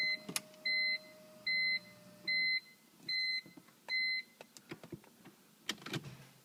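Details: 2003 BMW M3 SMG, 108k miles, after the clutch slipped and screeched; it stays in neutral and won't start despite a swapped relay: evenly spaced buzzing bursts like hydraulic pump priming, then clicks, no firing. Cause not confirmed.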